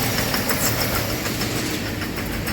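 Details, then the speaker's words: 2007 GMC V8 idling rough with heavy vibration and low uneven rumble after spark plugs and plug wires were replaced; stalling, poor pickup, check-engine and traction lights, throttle position sensor 1 and 2 circuit high voltage codes; 5-volt circuit problem. "दूसरा एक मुश्किल आ गया engine ज्यादा vibration करने का मैं आपको दिखा देता हूं एक बार आप देख सकते हो इजन में कितना ज्यादा वाइब्रेशन है और साउंड भी आ रहा"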